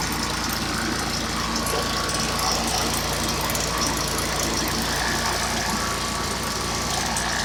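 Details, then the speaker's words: Stihl backpack blower that wouldn't start, two weeks after last use, and finally started after about 15 pulls: a steady, even two-stroke howl with no stumbles or surging. It is now running normally. "now when it starts right up you want to let it idle for a second and then run it wide open for five minutes so now i'm going to show you it's going to be loud but it starts up now like a charm"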